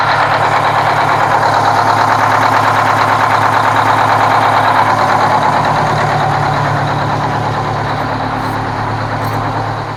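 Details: Kenworth cabover diesel truck with a fuel problem: loud idle with a steady chug but an uneven beat; the owner judges the third cylinder back on one side needs an injector, and an air leak is also suspected.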